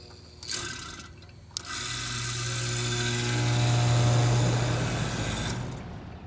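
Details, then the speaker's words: Goodman gas pack compressor, not cooling, breaker had been tripping: heavy low hum with a rushing roar swells for a few seconds then fades; compressor sounds strained, compressor fault suspected, not confirmed. "something started making noise before we even gave it this leg say like something going on with a compressor to me"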